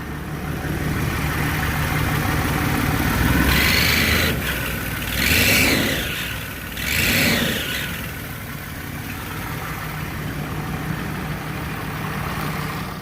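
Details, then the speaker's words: Warm Range Rover Sport diesel after the water pump seal and injector leak-off O-rings were fixed: quiet at idle, but each throttle blip brings a sharp hissing squeak; exhaust blowing where the manifold joins the head. "yeah the noise is um an exhaust blow and it's sounds like it's coming from where the manifold joins the head"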